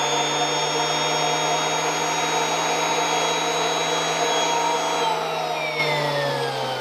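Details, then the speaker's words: Kirby Avalir with the stretch hose and turbo sander fully stretched: a steady motor whine whose spinning tone drops lower as the hose stretches. Airflow is reduced and the sander slows. "right so you could hear as i was stretching that it was reducing the airflow and the speed of the sunder"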